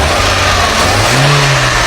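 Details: VW Gol AT 1.0 8v engine just after a rebuild with new main and rod bearings, revving: strong, even note pulling up cleanly under a throttle blip, no knocks or ticks; healthy engine.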